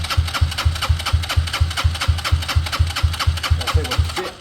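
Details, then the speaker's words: Motorcycle fuel pump during a 10-second flow test into a container: steady, even pulsing about two beats per second with a strong rhythmic buzz; pumping strong, though output looks about the same as the other bike. "So, I don't think that looks more than the last one. Although the good thing about it is it was definitely pumping strong."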